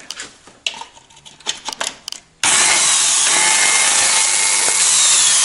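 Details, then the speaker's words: Angle grinder reassembled after brush and turning work, still sparking and smoking: after handling clicks it runs at a steady, even whir that never climbs to full speed, and the winding gets hot. Suspected shorted field winding, armature likely not at fault. "В итоге все собрал, вот опять разобрал, и искрит по-прежнему, и обороты маленькие, и дым пошел. Скорее всего, где-то короткое замыкание в обмотке."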